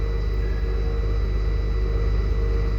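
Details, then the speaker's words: 20-year-old school bus (skoolie) engine idling after a dead-battery start, air pressure building past 25 psi after two weeks unused: steady even low rumble with faint constant whine, no knocks or misses; sounds okay, fluids check overdue. "It sounds okay. Still oil going through."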